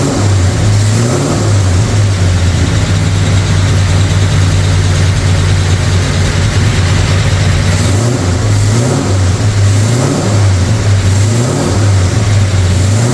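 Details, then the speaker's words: Brand-new 445 stroker FE V8 in a 1962 Ford Galaxie on its first break-in run. Loud, lumpy revving with a light, quick ticking that follows the revs: a lifter or two clattering and needing adjustment. Timing also needs adjusting; oil pressure and water temperature are good. "obviously need some timing adjustment but all in all runs pretty good I can hear a lifter or two clading they'll need to be adjusted"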